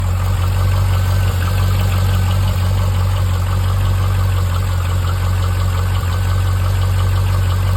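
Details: Chevrolet C5 Corvette V8 at idle: a steady rumble with light, uneven ticking about four times per second. Cause unconfirmed; the owner suspects piston slap or lifter failure.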